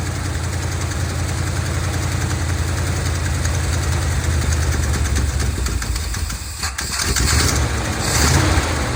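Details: 1970 Dodge D200 truck, oil way overfull and full of gas, many vacuum hoses plugged with screws: rough, loping idle whose speed swells and sags over a few seconds; it popped through the carburetor, possibly lean, cause unconfirmed.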